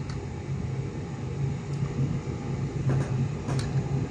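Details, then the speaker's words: Electric fan after repair (seized shaft tapped loose to free-wheel; previously would not run): steady low hum, smooth even whir, no rubbing, ticking or wobble, running very quietly like new. "May ikot na siya, oh. Tahimik na tahimik."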